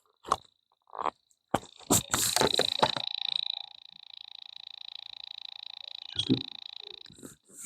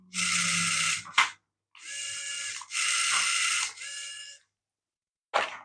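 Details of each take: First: Small RC Dalek toy, unresponsive to 40 MHz transmitters, microphone held next to it: faint rapid even ticking buzz, no motor running; broken corroded wire found inside. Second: Small RC Dalek toy after resoldering a corroded wire and cleaning the contacts: its two motors whirr in short even bursts of high buzzy whine with gear chatter, stopping cleanly; drive now works normally.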